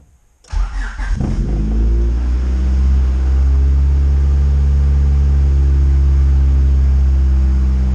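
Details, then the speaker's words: Honda CRX with B20V swap, wideband just fitted, start: a brief crank and quick catch, then a smooth, slightly raised idle with no ticking or misses that is coming down; a normal high idle at first start, with the wideband reading right. "idle seems like it's idling higher and smoother, but it is coming down now. Usually when you first start it up, it's gonna idle a little bit higher and then work its way down."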